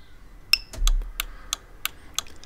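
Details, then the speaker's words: Volvo V50 with newly fitted towbar 7-way bypass relay, left indicator on: short two-tone chirp warning at start, then crisp even relay ticks about three a second; indicator and bypass relay working normally. "Now, that little chirup at the start is when you've actually got a socket on, it will beep and make a loud noise. It's a safety feature."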